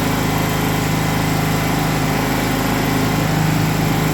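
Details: Gasoline generator that had died after 5 seconds, now fixed after a fuel inlet hose pinched by the air vent frame was freed: steady, even engine drone with constant low hum, no surging or dying, running properly.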